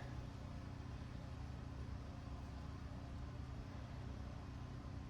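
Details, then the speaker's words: Generator after its larger governor spring was moved two holes over to curb loud, overly strong running: a quiet, steady low hum with an even beat and no hunting, holding a normal governed speed. "I think that helped. I couldn't really tell because I cut it off, you I had to cut it off to adjust it. This seems way quieter to me. I think I think we're good now."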